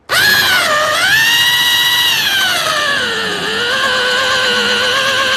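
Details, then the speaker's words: Small drill with a core bit meant for plasterboard or soft wood, cutting through a rear suspension bush rubber: the high motor whine sags in pitch as the bit bites into sticky, molten rubber. The drill motor is labouring under overload. "sure you can hear how much the drill's struggling. This is a heck of a job for this drill. It's only a little drill."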